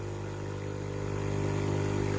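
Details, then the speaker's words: Tefal GV8461M0/23 steam generator iron with no steam and a blinking water light, plugged in and switched on for a pump test: steady low buzzing hum with no rattle or strain; the water pump runs and pumps normally. "Branchez la machine et allumez-la. La pompe à eau émet un bruit de fonctionnement."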